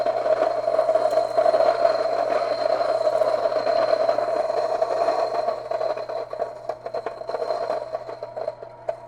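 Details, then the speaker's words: Kitchen stone grain mill set to coarse level 10, upper stone unwound from the fixed lower stone: even motor hum with a gritty rush of grain thinning near the end; grinding normally, producing gritty coarse flour. "I'll see that it's more gritty and coarser it's not nearly as fine and so if I want to make a coarser flower that's what I would do"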